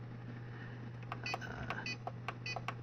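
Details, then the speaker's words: APC Back-UPS XS/RS (BX1500/BX1000) with a capacitor fault: steady low hum with short chirps and clicks as it beeps at power-on but fails to start, however often the button is pressed; fix is capacitor replacement. "this is another symptom you go and turn it on and it beeps and nothing will happen you can press this a million times and maybe it'll turn on maybe it won't"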